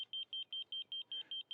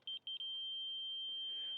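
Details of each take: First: Laser level receiver on a reverse-scale grade rod while marking a wetland perimeter: steady high-pitched beeps, about five a second, the slow below-grade tone before the rod is raised to the on-grade flatline tone. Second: Laser level receiver on a reverse scale-grade rod at the wetland center: slow beeping while low merges into a steady flatline high tone, receiver on grade with transmitter, reading 8 feet.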